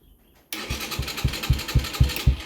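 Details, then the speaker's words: Stallion Centaur 150 (CT150) motorcycle with no-sound electric start: after sanding corroded switch contacts and jumping the clutch switch, the starter engages and the engine catches at once with a steady beat about four a second; starter motor is healthy. "ครับตรงนี้ก็ใช้ได้นะครับไดสตาร์ทเราก็ยังดีอยู่นะครับรีลสตาร์ทเราก็ใช้ได้นะครับ"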